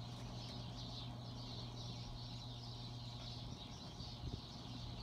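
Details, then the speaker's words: Bronson Exhauster fan (International Oil Burner Co, Universal Electric motor, probably 1960s), before oiling, on high in about 31°F cold: even low hum under an airy whoosh, running slow for high; owner suspects it just needs oil. "that's a little on the slow side for what you consider high so I'm not really sure if that's how this is supposed to run it might just need to be oiled to get a little more out of it"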